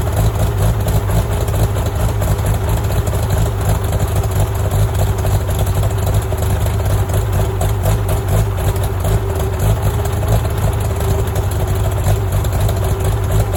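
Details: Farmall tractor (1949 H or 1968 656, unclear which), troubled by fuel problems and cutting out; carburetor adjusted after it hadn't run over 30 seconds, coolant was 2.5 gallons low. Low, even engine thrum holding steady, no stumbling, surging or knocking; normal running.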